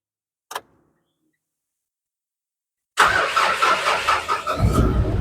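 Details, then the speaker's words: Mitsubishi Triton 4D56U after top overhaul following snapped timing belt (bent head, broken bracket, scored camshaft), towed in: click, pause, cranks, catches promptly and settles into a steady quiet even idle; healthy. "Oke, kita hit dia dia panas juga. Jadi kereta ini berjaya dihidupkan."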